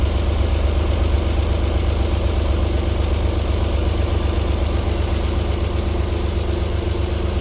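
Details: 1994 Alfa Romeo 3.0 24v QV engine, cold start-up idle with a soft regular pulse of about four beats a second and no tapping; a normal cold idle, though knocking returns after about 4 minutes.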